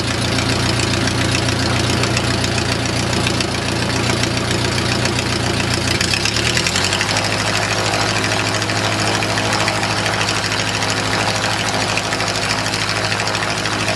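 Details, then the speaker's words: O-84 (4A084) engine with homemade fuel injection: steady idle, then about six seconds in pitch climbs to about 1850 rpm as a rubber plug is removed from an intake manifold port; vacuum-leak high idle. "that would be our p.m. that you can't control it's just a rubber plug when I remove it Indigo's 1850 rpm"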